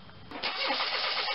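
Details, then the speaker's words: Pontiac Grand Am with the GM 2.4L Quad Four: the starter spins the engine briskly but it never catches, and a pulled spark plug shows no fuel. It is a crank-no-start caused by a disconnected crankshaft position sensor. "the problem on this 2.4 liter Pontiac Grand Am is a crank but no start"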